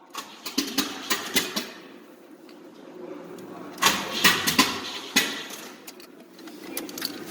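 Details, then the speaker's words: Pontiac Fiero under restoration, old gas, timing found off and adjusted: extended cranking with uneven bursts and brief sputters that never catch; engine turns over but fails to start, almost running. "So after adjusting it, I finally got it down where it was just about to run, as you will hear soon."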